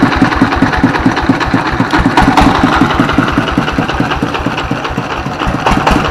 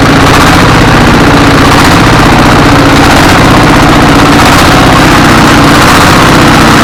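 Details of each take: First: S1115 24 HP single-cylinder diesel that had thick black smoke and surging throttle; after service it runs normally, smoke is reduced and it is ready for work, with a steady, even idle thump and no misses or surging. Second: S1115 24 hp single-cylinder diesel with thick black smoke: loud chugging with uneven surging as speed rises and falls; governor and balls fine, injection pump suspected.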